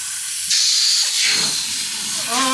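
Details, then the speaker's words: Volvo 240 wagon with turbo LFX swap, boost-leak test pushed to about 40 psi (limit should be 30): sharp steady hiss of escaping air; possibly crankcase pressure venting through the catch can, unconfirmed. "I don't know if we found a boo leak but I definitely created a boo leak so about 40 lb to her and that thing went"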